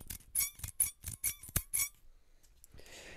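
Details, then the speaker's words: Spring-assisted carbon fiber and aluminum soldering assist holding device: a run of short, high, chirpy squeaks, about seven in a second and a half, each time the spring is worked. "anyway it makes a squeaking noise but that's all right so i'm going to be using that"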